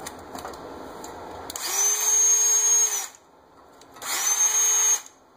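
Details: Ridgid 18V drill, tested in a vice with a repaired, fully charged lithium battery that previously would not power it: two short trigger pulls, each a clean steady high motor whine holding pitch; drill runs normally.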